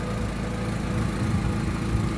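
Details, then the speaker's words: Daewoo Lanos 1.6, brought in with an engine knock and misfire, at idle: low even rumble with a fast tick from a holed exhaust flex pipe leaking, later fixed by welding. "Ээ, в общем, машина работает и там, короче, сечёт по гофре. Там гофра пробита."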